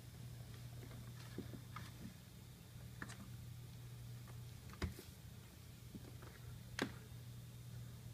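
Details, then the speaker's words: 1950 Sears Silvertone Model 144 console radio, chassis 478.240: tubes light and one 6BA6 tube has been replaced, but there is no audio output, only a steady low hum with an intermittent sharp crackle. Cause not yet known. "hear the thing running but and I get nothing but maybe a hint of crackling right now and then through the output so not really sure what's wrong yet"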